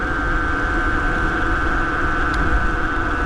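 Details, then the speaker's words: Bafang BBS02 mid-drive motor run on 72V after damage, some JB Weld scraped off: loud constant whine over a rough rushing drone under power; owner suspects the rotor is scraping, possibly adding frictional heat, motor at about 49°C. "it doesn't seem as loud anymore it's still still pretty loud I might take it out again and like get a file or something and like file it down I think the rotor might be scraping and that's the noise"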